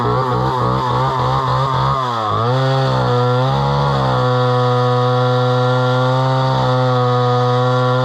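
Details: Homelite Super XL chainsaw bought at auction, about 50+ years old, 20-inch bar, restarted; blips a few times, then climbs to a clean steady high pitch and holds it; runs strong and even with good power.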